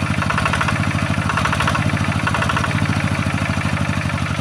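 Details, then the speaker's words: Yanmar TF-85 single-cylinder diesel tractor at idle; even thumping beat, engine itself smooth, with loose tinny rattle from worn, loose tractor housing; fan bearings also noted as noisy. "Sebenarnya mesinnya ini sudah halus ya. Cuma ini banyak e sudah longgar-longgar atau sudah oblak pada rumah traktornya."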